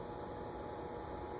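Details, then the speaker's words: Venton (VEC) 48 in cast-iron ceiling fan, likely 1970s or earlier, on a solid-state variable speed control around 30, not yet turning: low steady electrical hum and buzz with no spin-up. Buzzy, stiff bearings, poor variable-speed candidate. "kind of Buzzy too so this is not a good variable speed candidate anyways"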